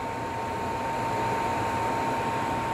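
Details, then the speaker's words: PS3 Slim that kept shutting off during play because its cooling fan wasn't spinning, fan now working: soft, steady airy whir with no rattle or scraping; normal fan operation, temperature about 60–63 with fan setting 60. "lembut berarti nyala kipasnya dan ada bunyinya ya kawan-kawan tadi kita nggak mendengar bunyi seperti ini ya"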